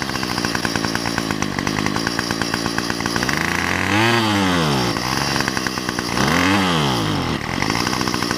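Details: Weedeater with about half a tank of fuel, before carburetor, gasket and spark plug replacement: two-stroke buzz revs up then sags and falls away twice, bogging under throttle; fuel starvation from a clogged carburetor.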